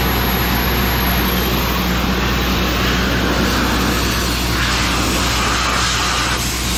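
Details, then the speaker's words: Old Sullair 185 gas compressor after carburetor rebuild, running on a small plastic tank; steady even drone at constant speed, no misses, knocks or surging, runs healthy. "wow that's nice well I think that's the best money that I've spent recently that works really good this baby runs so good on my little plastic tank"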